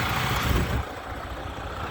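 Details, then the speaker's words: 2007 Freightliner with Detroit 14L EGR diesel, freshly rebuilt with new piston and liner kits: deep, steady idle with an even rumble and no knocking or stumbling, running like a champion. "this running like a damn champion"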